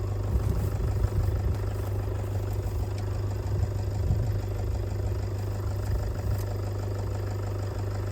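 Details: Ford tractor diesel, which had revved and died and then would not bleed, now idling. Steady, even idle with a firm low beat and no misses; healthy and smooth.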